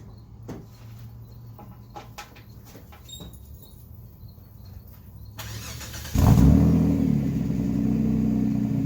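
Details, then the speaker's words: Mitsubishi Eclipse 3.0 V6, straight-piped, after timing belt and water pump change: catches after a short crank, then a loud, lumpy, uneven idle with rough revs. Rear cam timing off by one tooth. "Whatever I changed the timing belt and the water pump in it, it's off by one tooth in the rear cam, so I'll make that as a separate video. So it's the rear cam in the back, it's off by one tooth."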